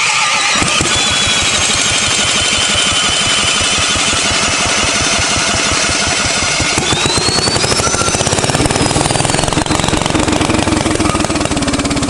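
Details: 1970s Briggs & Stratton generator engine built for Princess Auto, after the points were cleaned: catches within a second and settles into a fast, even popping run with a steady beat; runs well, though the carb is dripping fuel.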